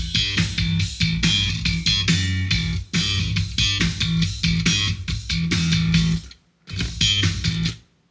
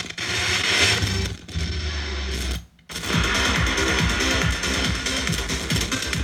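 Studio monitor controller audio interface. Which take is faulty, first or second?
second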